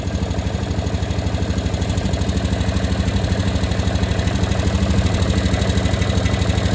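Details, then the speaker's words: 2015 Honda Rubicon 500 IRS ATV after its first top-end rebuild, idling: sharp even tick about three per second over a solid thump, top end noisier than before; valvetrain ticking, owner suspects valves set a bit tight, unconfirmed. "sound a little noisier. It wasn't doing that before."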